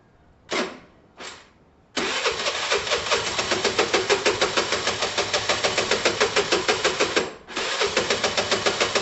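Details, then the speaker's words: Chinese scooter: after two short cranks it catches into a heavy, clattery idle with a fast chuffing beat; engine believed shot, possibly not just top end, rebuild suspected. "yeah even if it starts that engine is shot i think i think you can kind of hear it it's very heavy"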